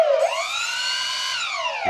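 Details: Freewing AL-37 twin 70mm electric ducted-fan jet with calibrated ESCs: high fan whine sweeps up with throttle, holds steady, then falls away smoothly; both motors start and stop together and run evenly.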